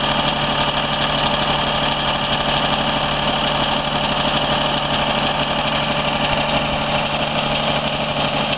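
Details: Daihatsu Cuore L7 EJ-DE petrol engine, genuine 135,000 km, idling with a light, fast metallic ticking that rises with revs and is not from the cylinder head. Ticking quietens as the engine warms and is quieter in summer, but never fully disappears. New filters, plugs and 0W-40 oil, no oil or coolant loss. Cause unknown.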